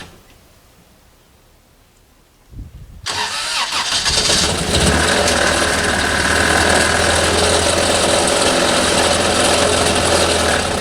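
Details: 1989 Toyota Corolla engine that isn't running right: cranks, catches, settles into rough idle with a steady knock about four a second; suspected rod knock.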